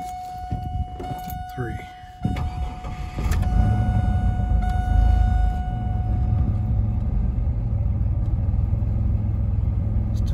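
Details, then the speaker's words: 2000 Chevrolet Camaro 3.8L V6, hot start after 30 minutes with fuel pump primed twice first, new ignition module, coils, plugs and wires: brief stutter then fires better into a slightly rough idle; still slight hesitation or miss, owner suspects fuel. "a little stutter to it but it did fire up better"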